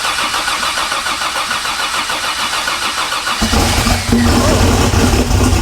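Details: Barra-swapped Ford Mustang GT350 first start on Haltech ECU with cam sensors ignored then plugged back in: starter cranks about three seconds, engine catches and settles into a steady idle; normal start.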